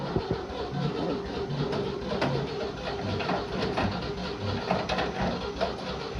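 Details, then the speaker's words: 1960 Grumman Olson running off a separate fuel can (tank pickup sock likely clogged), fuel mixed with moonshine, old engine giving a low, slightly lumpy but steady idle without stalling after moving in first and reverse; doesn't sound too bad. "all right we got movage don't sound too awful bad hopefully the brakes are going to work"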